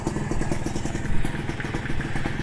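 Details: Kawasaki RR two-stroke motorcycle, just reassembled and started: even, crackly beat at a brisk steady rate with no knocks or rattles; engine runs cleanly and healthy.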